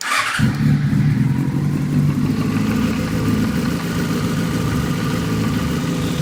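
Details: 2008 Yamaha FZ6 N, 48,000 km, cold start: four-cylinder engine idles with busy rapid ticking under the exhaust note; noise drops considerably once warm, cause unknown.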